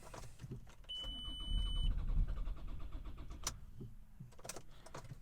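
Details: 2003 Ford Galaxy 1.9 TDI diesel, engine code AUY, glow plug light flashing: starter spins the engine evenly at about three beats a second but it never fires; crank, no start because the immobilizer is disabling the engine ECM.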